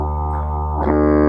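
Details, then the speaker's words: Wurlitzer Magnavox jukebox speaker before reconing, giving a low droning tone that buzzes and breaks up rough and fuzzy; distorted loudspeaker output, so the speaker needs reconing. "we're going to listen to this speaker first and then the speaker and then this speaker says on this one first distorted you just touch it it's not good"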